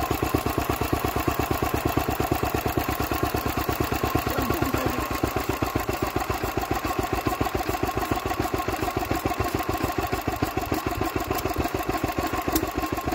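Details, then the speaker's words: Old Lister D stationary engine, first run in 40 years after belt starting from a Petter W1H; steady thumping about six beats a second, slightly uneven; rough running after long storage. "there we go my well she barked off we had life out of this list today so that's hopeful"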